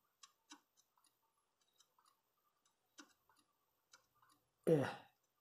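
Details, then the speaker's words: Laptop-size hard drive in use since 2008 inside an AMD FIC/PIC computer, faint irregular clicking about twice a second; smartctl had already reported problems, owner suspects the drive is failing. "esse HD Eu acho que já deu os últimos ele já tava dando sinais de problemas"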